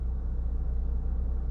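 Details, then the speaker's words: 2014 Toyota Camry, 207k miles, warm, after cleaning oily carbon buildup from throttle body butterfly valve that caused low rough idle and stalling: low, even idle settling to about 800 RPM, no vibration or hunting; problem solved. "No more vibrations, and it sits right there just a tick above the third line, which is 800 RPM. Exactly where she's supposed to sit."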